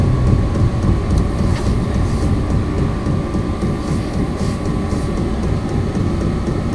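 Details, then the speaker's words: Vevor 5 kW 12 V diesel air heater, new, on level 1 of 10 from a battery. Steady low roar and constant fan whoosh with no popping, sputter or misfire. It is lit, burning evenly, and blowing hot air properly. "oh yeah it's lit I can smell it feel the hot air coming out of that"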